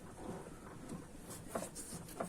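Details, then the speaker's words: Kia Sorento, engine off, body rocked by hand on the fender with wheel turned to find a knock over small bumps: dull single knocks about every two-thirds of a second from a worn sway bar link. "шаровые стабилизатора и вот мы видим вот он этот стук стойка стабилизатора"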